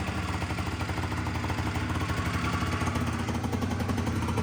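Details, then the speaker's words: Honda Dio 100cc two-stroke scooter, after starter start on first start; fast buzzy rattle holding steady with no drop to lazy idle, owner says revs still high: high idle speed. "все одно обороти [оплески] великі"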